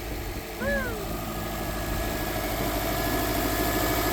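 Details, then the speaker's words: 2006 Subaru Impreza WRX after replacing the noisy serpentine belt tensioner: petrol engine idles steadily with an even hum and no squeal, chirp or rattle; fixed. "all right Josh go ahead and fire it up hey sound like that I think we fixed it"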